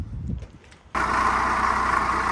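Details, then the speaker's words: BMW 1 Series 118d diesel at idle, before the belts, pulleys and water pump were replaced: a loud, steady gritty whirr rides over the clatter from the belt drive and goes silent with the belt off; a noisy pulley in the belt drive. "It's a bit loud obviously, but just thought I'd show you a little before of the sound. And that's coming from the belts, because we took the belt off and let it run and you couldn't hear anything. So one of the pulleys on there is making a racket."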